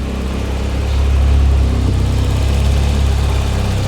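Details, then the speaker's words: Fiat Uno Turbo, warming up while waiting for cooling fan: low, even idle swelling briefly with small throttle blip then settling steady; sounds good, though boost leaks present and coolant bubbling with suspected airlocks. "come on sounds good though sounds nice there some boost leaks and stuff"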